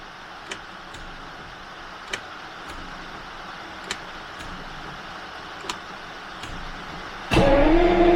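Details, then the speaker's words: Jaguar V12 classic stored over winter, last run about six weeks earlier, has spark and fuel smell: light ticking, then hard starter cranking with no firing; cranks but won't start, owner suspects something disconnected. "I did a quick test off camera and it has spark I can smell fuel so really strange this car has never not started for me"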